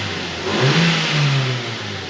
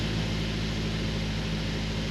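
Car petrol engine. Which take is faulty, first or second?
second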